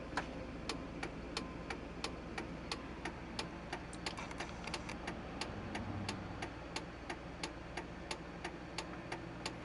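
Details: 1999 Chevrolet Silverado cabin: a sharp steady tick about three times a second under the dash over a quiet hum; it stops when the brake pedal is pressed and returns when released.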